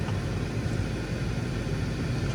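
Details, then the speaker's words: 2016 Toyota 4Runner 4.0 with an intermittent blower motor (worked, then stopped; old unit smelled burnt), tested after blower motor replacement: steady even air rush with low hum, no squeal, tick or rattle; normal blower operation. "so it's working good. So as you can hear it's working."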